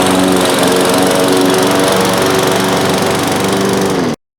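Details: Briggs & Stratton lawn mower with newer plastic carburetor, after carb cleaning to cure hard starting: catches and runs steady, even for about four seconds, then shuts off cleanly; healthy.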